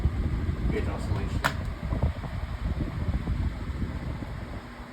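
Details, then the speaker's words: Pedestal fan running with smooth oscillation: a soft, steady low whoosh with no rattle, tick or scrape. Normal, healthy operation. "Oscillation is very smooth. No problem with it."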